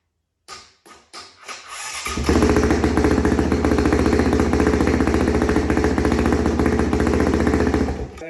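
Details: 2005 Honda CRF450X single-cylinder, stored about 10 years, first start with leaking petcock: a few dull kicks, then it catches and settles into steady, even thumping run; healthy, no smoke.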